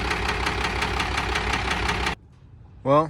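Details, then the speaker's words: 1996 Cummins 12-valve diesel, manual 5-speed dually, idling with a hollow regular knock every turn before cutting off; teardown found cylinder six scored and moving: piston slap, cylinder walls washed out, block damaged; fuel knock ruled out. "and number six is moving so we got a nice little piston slap there cylinder walls are washed out so block is messed up"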